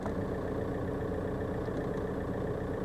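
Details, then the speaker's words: VW Golf Mk4 PD130 diesel after injector loom replacement and EGR valve refit, heard from inside the cabin: steady, even idle clatter with no knocks, misses or shaking; normal diesel idle. "there's there's no vibration it's it's running just like it should run it's a pleasant place to be it"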